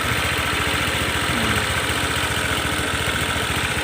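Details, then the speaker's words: Honda PCX150 after top-end rebuild, after a test ride: once stalled after starting unless throttle was held, now starts gently and idles quietly with a steady, even putter, no hunting or stalling. "อยู่ดีมากๆเลยนะเสียงเงียบแล้วก็สตาร์ทก่อนหน้านี้มันสตาร์ทแล้วมันดับนะเราต้องเร่งไว้นะครับมันจะไม่ดับแต่ว่าตอนนี้ไม่ต้องเร่งแล้วสตาร์ทเบาๆก็ติดแล้วนะครับ"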